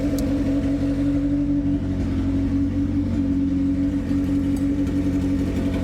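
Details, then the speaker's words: 1991 Civic with a freshly installed B18, OBD1 distributor, run after fixing the injectors and fuel pressure regulator and started by jumping the faulty starter signal wire. Steady, even low idle hum with no misses, knocks or ticking: runs fine, normal idle. "but if I jump that wire it does start right up and run just fine as you can hear"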